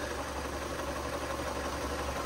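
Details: Ford KA with failed gearbox and slipping clutch: quiet idle with a steady mid-pitched whirr from the gearbox; excessive shaft play letting oil seep past the seal. Gearbox and clutch need replacing.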